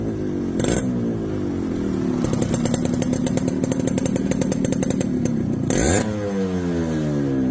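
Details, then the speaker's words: Yamaha RX135 two-stroke after full restoration (engine fully stripped, connecting rod, gearbox, clutch, rebore, coils, new carburetor): crisp ring-ding idle with quick clean rev blips, no rattle or bogging; running well. "So இப்ப இந்த வண்டியை டோட்டலா restoration work முடிச்சிட்டோம் இப்ப இந்த வண்டியோட beat sound கேளுங்க"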